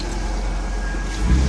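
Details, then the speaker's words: 2002 Porsche, manual, after the wiring was reconnected: steady idle with a low rumble, then clean revving with no misses. Normal running with steady RPM and steady exhaust; the check engine light is still to be cleared. "it's pushing steady exhaust it's not idling weird RPMs are staying steady I'm going to go to the auto part store and clear that with little check engine light also going to get some gas oh my God she sounds amazing hold on I got to rev it"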